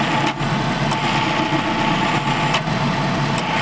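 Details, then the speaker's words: Maruti Eeco after tightening the loose alternator belt: smooth, even idle with the AC compressor cycling in and its normal click, and no belt squeal or chirp remaining. Belt noise fixed. "देखिए बिल्कुल भी इसमें आवाज नहीं आ रही है कहीं से भी चुर चुर की आवाज नहीं आ रही है"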